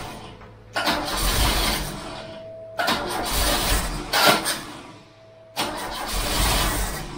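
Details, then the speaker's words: Freshly installed Pinto engine in a MK3 Cortina, first start attempt after lots of petrol was put in; three bursts of steady starter cranking, engine never catches; crank no start, owner suspects flooding. "it could be flooded because I've been fit because I've been fitting that chunk okay but I put a lot of petrol into there"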